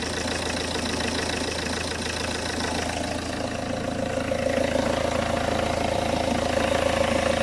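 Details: Peugeot 406 2.2 HDi diesel idling on a freezing morning right after swapping the leaking high-pressure (R70) fuel pump, first start after priming; even, regular diesel clatter at steady idle with a faint chirping tick creeping in later, engine runs smooth.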